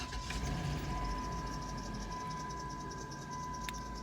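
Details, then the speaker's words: Late-1990s/early-2000s Chrysler/Dodge Caravan minivan, 3.3/3.6L, idling after idler pulley bearings and tensioner were lubricated: thin steady belt squeal with faint repeating chirp persists; cause suspected, not confirmed (harmonic balancer suggested by others, doubted). "It's still noisy."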